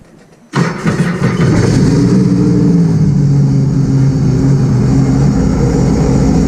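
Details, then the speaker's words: 2018 Sea-Doo RXP-X 300, first start after fitting a Riva Racing power filter intake, before reassembly. It cranks and catches quickly, then settles to a smooth, steady idle with no exhaust leak sounds; healthy. "Well, the good thing, everything works. Didn't sound like there's any exhaust leaks."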